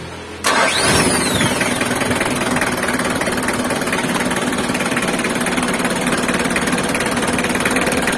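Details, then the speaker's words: Mitsubishi L300 diesel after cylinder head swap to older-year head, valves adjusted, oil and coolant filled, first test start: brief crank, catches, settles into steady even diesel clatter, no odd knocks; normal start and idle. "untuk Tahap terakhir kita tahap pengetesan untuk mendengarkan suara mesinnya kita coba hidupkan mesinnya ya"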